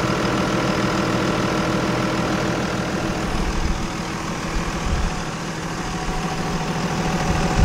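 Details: Cummins 5.9 24-valve diesel truck (second generation), restarted after bleeding air from injector fuel lines following a no-start: steady low clatter, about three pulses a second, even and unbroken; normal idle.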